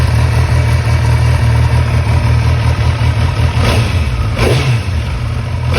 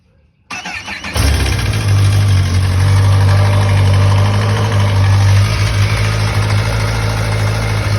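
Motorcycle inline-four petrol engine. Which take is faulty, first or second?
second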